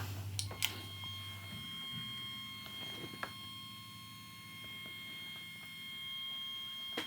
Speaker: so there's this noise on there and that makes this completely unrecorded all with and what is it this happens with anything that's a switch Ching power supply where it doesn't have a rectifier